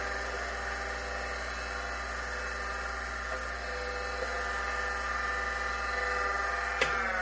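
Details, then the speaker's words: Seagate ST-412 10MB MFM hard drive from an abandoned IBM PC XT: constant high-pitched whine with faint steady rhythmic ticking as it spins, sounding rough; bearings suspected, drive possibly still working. "so yeah it doesn't sound super healthy but let's assume for now that it's just the bearings and that the hard drive is in fact working fine"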